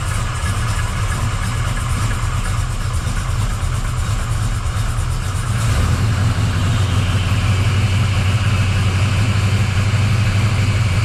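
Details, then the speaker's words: 1979 Camaro Z28 V8 after replacing the Pete Jackson gear drive with an Edelbrock double roller timing chain, new balancer and water pump; sat a few days, running a bit rich: deep steady idle with no gear whine, quiet and healthy. "I know it probably sounds loud but that is super quiet cuz you don't hear that Gear Drive lining"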